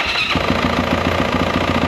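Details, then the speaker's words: 2024 Yamaha YZ450F after primary gear replacement fixed a broken-tooth knock: catches and settles into an even, quick pulsing idle with no knocking underneath; now running quietly and healthy. "Um, kind of a pain in the ass with them, but you know, it runs. It's quiet now."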